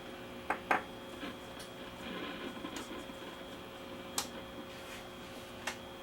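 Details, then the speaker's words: Very old pre-war RCA A20C tube table radio warming up on the bench, faint steady amplifier hum and switch clicks, dial light on, no station received. "I can hear the amplifier humming and the light is lighting up here so we know we got power"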